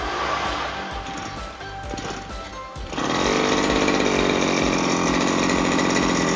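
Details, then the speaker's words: Lawn mower that would not start and made a strange noise, now started after servicing; a carbon-fouled spark plug is the suspected cause: it catches and holds a steady, even buzz with no misses or rattles; running healthy. "Oke, jadi saya sudah mencobanya dan aman untuk digunakan lagi."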